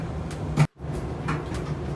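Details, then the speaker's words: Kenmore Elite Oasis dryer, about 10 years old, that stopped heating, running after the blown fuse was replaced: a low, steady drum rumble with soft tumbling and no squeal. It heats again. "okay if you can hear it uh it's it's running i'll give it another 30 seconds and i'll open up the dryer to see if i"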